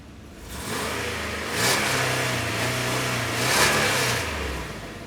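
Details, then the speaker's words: 2003 Dodge Dakota, Chrysler 3.7 L Magnum V6, about 174,773 miles, revved and heard from underneath: engine revs up twice and falls back over a loud, raw, throaty exhaust note; damaged muffler needs replacing. "Yeah, so the muffler's gonna need to be replaced, but until then, we're gonna get working on the hood"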